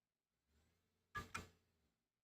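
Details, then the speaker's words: SCSI hard drive in a Beige G3 Mac desktop: faint spin-up hum, then two sharp clicks before it winds down and goes quiet; the drive is dead. "the hard drive's dead hard drives are not supposed to sound like that"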